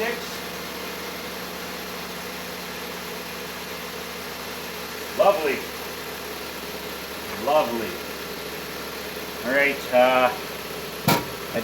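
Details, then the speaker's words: 2015 Jeep Patriot 2.4 after replacing the alternator for a failing pulley bearing that chirped loudly, charging at 14.6: a quiet, even idle hum with no belt chirp or squeak. Normal idle, no belt chirp. "you can hear it pretty loud that chirping so I'll know right away if it's not there"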